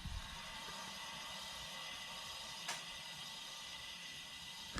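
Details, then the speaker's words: 2018 VW GTI SE, car raised, the good rear wheel hand-spun for comparison with the noisy passenger-side rear: even, steady soft whoosh without grinding or ticking; normal wheel spin. "Okay. Pretty smooth, right? And this is the good one."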